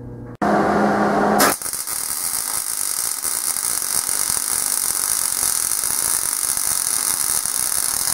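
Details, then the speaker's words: A beginner MIG weld with the torch held at the correct stick-out distance, since too close or too far sounds sputtering. After the strike there is a steady, even crackle like frying bacon with no pops, producing a smooth, well-fused bead: normal MIG weld. "you're just gonna say oh that sounds like it's running really smooth at that distance I am away and that's what you want to run it"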